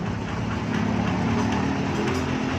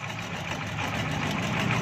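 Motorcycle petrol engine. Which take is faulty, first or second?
second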